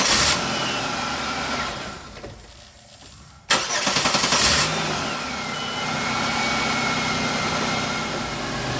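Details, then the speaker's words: Car towed in from another shop, found with tampered wiring and wires rubbing the belt, after repair: a short crank, catches on the first hit and settles into a steady, even idle. Normal start and idle. "First hit, start up and run just as fine as it wants to."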